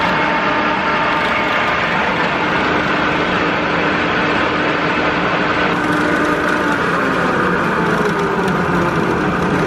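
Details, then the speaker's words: Combine running during 2022 corn harvest, windy conditions, heard standing outside beside it: a small loose plastic shield clatters lightly over smooth steady running and stops when held by hand; chain tension checked fine; otherwise machine sounds smooth. "this little Shield is rattling I don't know if you'd hear that from the cab or not but it's obvious when I hold it but otherwise I think it sounds pretty smooth"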